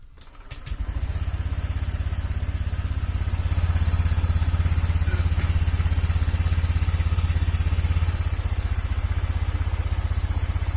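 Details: Honda Vario 125 fuel-injected scooter, hard to start: coarse, lumpy low thumping at about three beats a second. Piston worn loose in the cylinder block gives a rough engine and weak compression.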